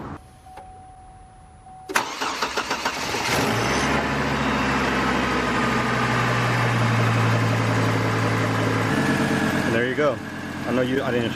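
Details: Chevy Colorado/GMC Canyon 3.5 L just after alternator replacement, the old alternator having made a loud noise: chime, short crank, then an even, steady idle with no whine or grinding.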